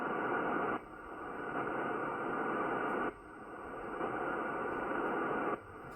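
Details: Ryobi battery charger plugged into the shack causes steady rasping static on the ham radio receiver, dropping briefly every few seconds. The electrical hash radiates through the entire building wiring.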